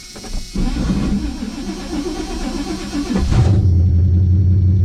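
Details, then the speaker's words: 1985 Chevy C10 V8 on open headers, gas pedal pumped before cranking: rough grinding churn for about three seconds of cranking, then a loud lumpy idle; starter grinding, owner thinks about one shim may fix it. "the starter didn't sound awful that time uh but it is definitely grinding it but i think it might only take about one shim or so"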